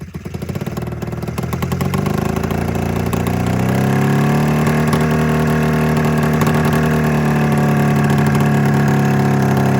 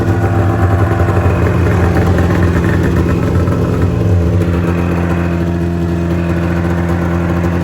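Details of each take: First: 27-year-old Mountain Cat snowmobile two-stroke twin after an ignition coil replacement: catches and settles into a lumpy, uneven idle, still firing on only one cylinder. A fuel delivery problem is suspected. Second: 27-year-old Mountain Cat two-stroke snowmobile, after the fuel pump and fuel delivery were cleaned to fix a misfire: a steady, even burble at constant speed with no stumbles or misses, running cleanly.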